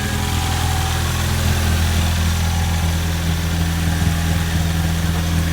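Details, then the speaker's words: Ford EcoBoost turbo petrol engine idling right after replacing the low-side fuel pressure sensor and priming the fuel rail; starts promptly and settles into a steady, low, even idle with a smooth rumble, no knocks or misses; normal idle. "go to start it and there we go car started let's go make sure there's not fuel pouring all over the Internet"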